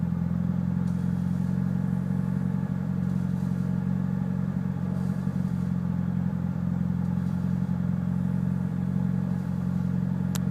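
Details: Mitsubishi Evo VIII with tuned cams, clean MAF intake, regularly serviced: deep, lumpy, uneven idle with loose clattery pulses; cause of the rough idle unknown.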